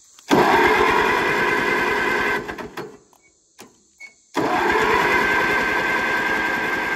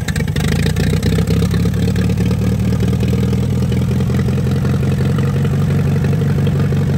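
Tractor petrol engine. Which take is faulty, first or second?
first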